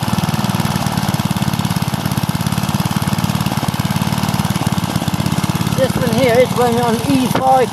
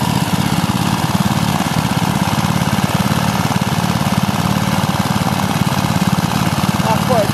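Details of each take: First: Small petrol engine running on E5 petrol: a quick, evenly spaced firing beat at steady speed with no misses or hunting. It runs smoothly. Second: Briggs and Stratton 3 hp single-cylinder engine running on E10 petrol: fast chugging at steady speed with a slightly uneven, stumbling beat, running rough, probably fuel related.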